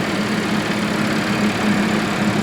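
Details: Salvage supercharged Audi S5 after an intercooler radiator replacement and coolant purge, warming up with the heater on high: steady, even idle with a smooth low hum, no knocks or misses; idling normally.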